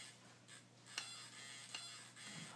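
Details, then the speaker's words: T700 RC helicopter tail assembly rocked by hand gives two sharp light clicks; tail slop clicking although gears show no slop, shaft not sliding, servo arm stiff. "see there's a there's a clicking sound and it's not there's no slop here in between the gears there's no SL slop so the the shaft isn't SL sliding up and down but there is this where it would click like this sound this is how loose it is"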